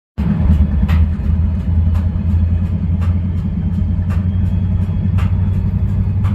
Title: UP GEVOs Idling and Making Weird Knocking Sounds